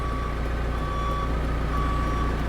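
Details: Forklift reversing while unloading a replacement Jaguar F-Type SVR engine (from a 30,000-mile car): clear high-pitched warning tone over low engine rumble; reverse alarm working properly.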